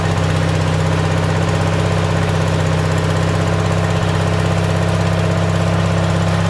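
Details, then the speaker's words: A Simplicity tractor's small single-cylinder engine with a cheap replacement Chinese carburetor runs smooth and steady but idles about 500 rpm too high, with no hunting. The owner plans to add a spring to fix the idle. High idle speed. "it's keeping it up the RPMs there up there you know another 500 above where it should be that's what it sounds like anyway it's probably about five hundred rpms too high anyway"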